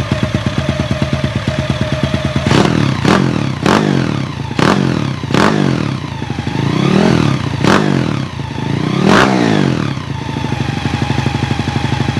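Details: Honda EX5 single-cylinder engine rebuilt with 54 mm block, 102 mm crankshaft and Redleo 4-valve head, CJ Epo exhaust, DY90 frame: steady idle breaking into sharp throttle blips that rev and settle cleanly; healthy fresh engine.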